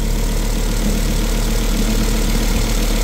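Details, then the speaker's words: Volvo 2.4/2.5T engine, first start after timing belt change and cylinder head refit: steady low idle, even pulse about four beats a second, no missed beats; heavy catalytic converter smoke, but all cylinders sound like they're firing. "Bet rūts izklausās, ka visi cilindri darbojās."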